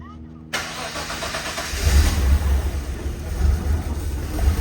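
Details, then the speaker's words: Nissan R34 drift car, freshly rebuilt engine first start on base map tune, new downpipe, intercooler piping not yet fitted: catches after a brief crank into a low, quite quiet idle with soft exhaust burble; healthy, needs tuning. "quiet yeah it needs a little bit of tune in but that's just the base map this thing's quiet"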